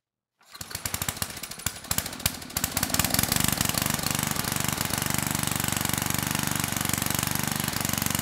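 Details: 1999 Generac 5000 W generator with 10 hp Tecumseh HM100 flathead, which had lost compression and would not run, first test run after repair: catches after a few ragged pops, then settles into a slow, steady, even chug; running healthy.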